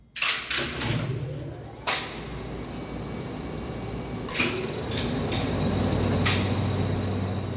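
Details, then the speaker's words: 1969 Schindler lift motor, recorded in the top-floor motor room: hums low in star start mode, then a clunk as the speed switch changes over to delta and it spins up to a steady running whine. "when the speed switch is able to form the circuit the motor switches to Delta and you'll hear the motor spin up to its for running"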